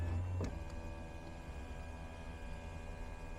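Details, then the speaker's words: Sunroof motor on a 30,251-mile 2006 Toyota 4Runner SR5, run back and forward then tilt: brief clunk as travel stops, then faint even electric motor hum with no grinding or clicking; smooth, normal sunroof operation. "smooth, no abnormal noises or anything."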